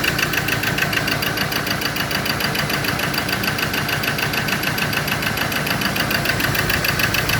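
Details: Ford Ranger diesel that would not start, now idling rough with a lumpy loping beat: only cylinders three and four fire, one and two dead with no electrical pulse on their wires; wiring fault suspected.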